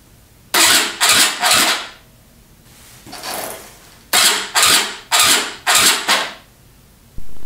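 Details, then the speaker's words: Yamaha YZ250 two-stroke with newly fitted Panthera electric starter and four-cell battery: seven short whirring cranking bursts, a little slow to spin over, then steady run; normal starter behaviour. "turns it over at first it's a little under settling that it won't spin it like over super fast and start it right away but it seems that you have to want to start the bike"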